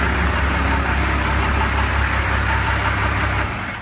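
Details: 1992 Dodge with Cummins diesel after tightening loose inspection-cover bolts that gave a loud rod-knock-like noise from the engine bottom, rod bearings not the cause; steady diesel clatter at idle, even rhythm, no bottom-end knock, healthy.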